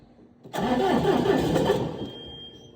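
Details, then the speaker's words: John Deere 6320 tractor, first start after an injection pump replacement, with new oil, filters and rear-end oil: the starter cranks about 1.5 seconds and the engine tries but doesn't catch, still stubborn with air suspected in the fuel system, so the injector lines are being bled. "All right, it's still being a little bit stubborn."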